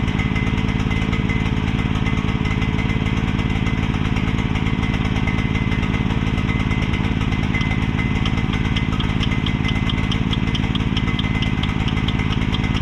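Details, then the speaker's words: Mini excavator with pull start, bought broken from a neighbor and just repaired, left running while the track goes back on; small single-cylinder engine chugging at low idle, rich and uneven, smoking heavily because the choke was never turned off. "let it run for a little while while I put the track back on and uh [snorts] couldn't figure out why it was smoking so much and I realized I never turned the choke off."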